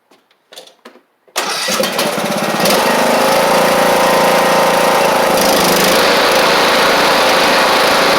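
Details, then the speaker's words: John Deere E100 mower with Briggs & Stratton engine, swapped after an oil leak, after 20 minutes of mowing: a few short cranks, then a strong steady even run with no misses or knocks. "Everything's good. And as you can see, everything's working fine. Uh, which is great."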